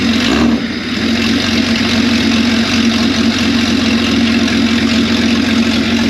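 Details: Freshly refreshed 4.0 engine, ice-cold first start: catches and settles into steady even idle with mid-pitched drone, no knocks; sounds new and tight though oil pressure later disappointing.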